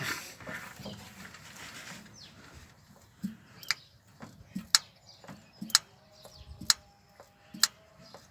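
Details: 1962 Land Rover Series 2a 109 rebuild, engine off: sharp, even ticks about once a second as the fuel pump runs dry from an air leak at the sediment bowl.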